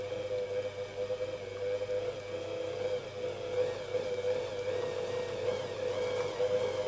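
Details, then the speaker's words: Singer 201k sewing machine with a DIY servo motor, speed reducer and force-control pedal. A smooth, even whir with a steady mid tone and no knocks or rattles as speed is gradually raised from slow (8 stitches/min) toward max 540 stitches/min. Normal running. "I will now gradually increase speed to show you that this is possible. I increase slowly to max speed."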